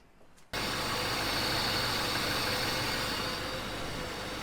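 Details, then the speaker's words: Mercedes 380 SLC, cold start after a squealing dual accessory belt was replaced, re-tensioned and aligned: engine catches at once and settles into a smooth, even idle with no belt squeal or chirp. "Hopefully you guys can hear me. This thing is pretty loud right now. It's a cold start, but yeah, everything's running fine."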